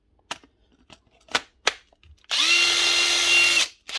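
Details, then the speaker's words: Panasonic cordless drill: high drill whine with a coarse, rough grumble from the chuck; the steel spindle bush is worn with some play, not worth replacing the whole gearbox. "Chuck is making a really grumbling sort of sound that's a very simple one actual steel Bush and the spindal worn out way bit we bit of play now"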